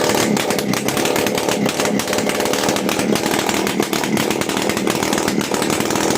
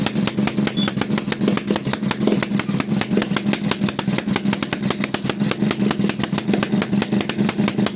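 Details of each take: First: TVS XL Heavy Duty two-stroke moped, engine freshly rebuilt, kick-started at light throttle on extra oil in the fuel: loud, buzzy note holding a steady rasping beat, running cleanly. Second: TVS XL Heavy Duty two-stroke moped, freshly rebuilt engine on a heavy oil mix: fast, even popping at a slightly lumpy idle; running rich, smoke builds up and it is prone to stalling.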